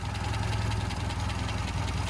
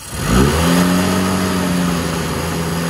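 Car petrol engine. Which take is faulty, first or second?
second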